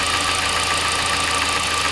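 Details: Hyundai i40 / Kia Sportage 2.0 G4NA engine with cylinder scuffing found by endoscope, at idle: a steady high whine with fast light knocking ticks. Owner suspects chain/phasers or coupling; unclear.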